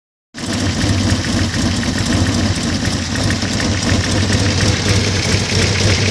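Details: 1970 Opel GT engine at idle with a faint, fairly quick light ticking over the steady engine note, heard toward the back; goes away at higher rpm, source unclear.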